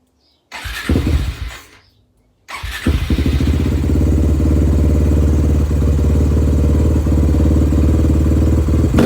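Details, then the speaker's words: Suzuki LTR450 quad, believed 2006, fuel-injected, sat for a while, started after its injector was cleaned a second time. A quick crank, then a loud, even single-cylinder idle with no stumbling. Best it has run; normal idle. "whoo that thing is loud well that's the best it's ran"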